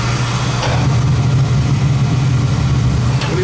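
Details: Oil burner gives an even low roar with a steady hum and no pulsing; firing steadily. Draw assembly is suspected set too far in, risking improper burn.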